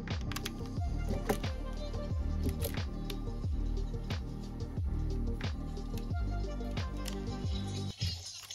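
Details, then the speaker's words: Sony Walkman WM-FX45 cassette player after repair, heard through headphones: music plays at steady, even pitch with the beat holding time, no wow or dragging; tape drive running at normal speed, before calibration-tape fine tuning. "so you can hear that absolutely fine now so all working well"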